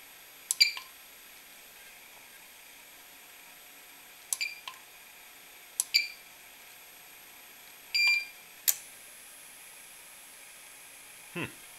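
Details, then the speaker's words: APC Back-UPS converted to an inverter, switched on after replacing transistors, with the battery and charger connected and the load off: a few scattered sharp chirps and clicks, then it settles and runs. The ammeter shows no unusual current; cause unknown. "did something weird at first but it is running and uh my am meter shows that it's not pulling in any unusual amount of current"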